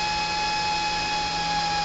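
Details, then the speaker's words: CNC cooling fan on an autonomous temperature-based fan controller, thermocouple heated toward the alarm threshold: fan speed accelerating to a steady, even high-pitched whir with no wobble or rattle; running cleanly at high speed. "you can hear the fan speed accelerating there you guys go that will turn off in a second as soon as this cools down"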